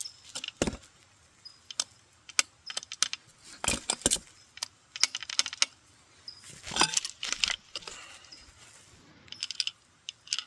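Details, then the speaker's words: Jammed pump pulled off an engine, shaken until it spins: irregular bright metallic jingles and clinks from loose metal chunks inside, and it locks up again; broken internals, pump is scrap. "So, it spins, but nothing happens. And you can hear metal chunks flapping around in there. Oh, they're locked again. So, that thing is toast."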